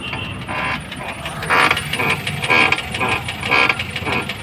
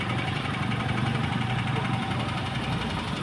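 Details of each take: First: Maruti Suzuki Ertiga petrol taxi, left front, steering turned with wheels on ground: creaking clunks about two a second, stops when lifted; others quoted steering rack, found broken strut top mount bearing, replaced. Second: Maruti Suzuki Ertiga petrol, after replacing left front strut top mount bearing: engine idles steadily while steering turns, with no clunk or creak from front suspension; noise gone, steering rack not replaced.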